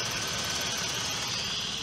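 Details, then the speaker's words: Engine with a blown head gasket after overheating from a leaking water pump: a harsh, buzzy idle with uneven pulses. It runs a little better now but still has a miss. "it's running right now it's running a little bit better right there's still a miss in it"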